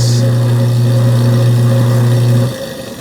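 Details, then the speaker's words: Garbage disposal that had been jammed, freed by turning it from the bottom with a 1/4" Allen wrench, running with water: steady, even low hum with no grinding, then clean spin-down; working normally. "Okay, you can hear it spinning. Everything. Let's run some water in there. Turn it on again. There she goes."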